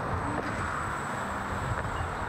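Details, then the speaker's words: Ninebot S self-balancing transporter riding past: quiet, with a faint, thin, steady high whine over soft rolling noise. The motor hums smoothly and sounds healthy. "The Ninebot motor is also very quiet. You'll just hear a slight hum as I pass by."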